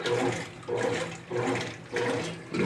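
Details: 2014 Brastemp Clean 8 kg washer, refurbished with new pump, on test in a long heavy program: water rushes and splashes in regular surges about every 0.6 s, no grinding or knocking; normal fill.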